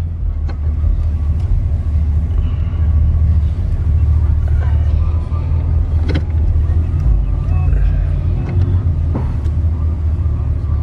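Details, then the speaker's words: Chevy Caprice box with 305 5.0L V8 and dual exhaust, previously sluggish, after new spark plugs and plug wires: deep, steady burble with an even beat and no misses or ticking; normal smooth idle. "if you ask me it's running nice and smooth now oh yeah"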